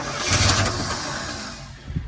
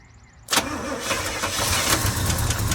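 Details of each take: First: 1966 Chevy C10 V8 barn find, unknown time since last run, cranked via a cheater switch on the starter with old varnished fuel: starter churning with ragged firing pulses as it almost catches, then fades; it wants to start. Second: 1966 Chevy C10 V8, sat a long time beside a barn, on old varnished fuel and a cheater starter switch: after a dash of fuel it fires and settles into a lumpy steady idle with a brief blip; it runs.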